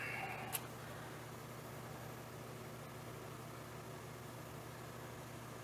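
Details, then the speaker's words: Ventrac 4500Y compact tractor, 25 HP Kubota diesel, engine off: faint, steady electric hum of fuel pump priming normally after its relay was moved from wrong top slot to correct second slot. "That's the fuel pump. Are you kidding me? This must have been some shade tree mechanic they had working on this thing."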